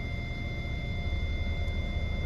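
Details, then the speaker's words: Hyundai i40 with parking sensor system fault, Auto Stop deactivated, in reverse with nothing behind; an unbroken high-pitched constant warning tone over a quiet idle from faulty rear centre parking sensors. "I put it into reverse immediately I've got the rear one as you can see there's nothing directly behind me on the camera there but we've got a constant"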